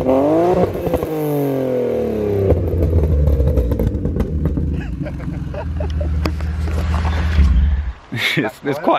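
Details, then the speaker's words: Widebody BMW E36 328i drift car exhaust, loud at the rear: raspy revs fall away with scattered cracks and pops as the throttle closes; owner unsure if it's running poorly or has a pops-and-bangs map. "it's got some like i don't know if it's just running poorly or it's got a pop and bangs map because on d cell it's like like constant little pops"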